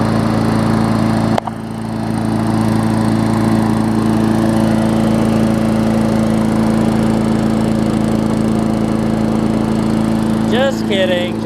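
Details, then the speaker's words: Newer Murray push mower, Briggs engine, after fixing oil in gas and water in oil, run about 15 minutes with old oil still baking off: even, steady drone with no misses, surging or knocks; normal running. "you hear a little bit of that old oil still baking in there i tried to wash it off as good as i can but there was a ton of it so i've had it running a good 15 minutes already it's perfect"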